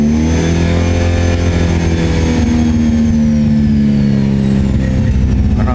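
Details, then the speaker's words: Toyota Great Corolla 4A-FE after ECU repair and data cloning, not yet warm, no check-engine light: smooth steady engine note with even tones, no stumble or cutting out; normal running. "Jadi ini sudah baik, sukses selama engine cat enggak nyala dan cat jalan tidak ada masalah."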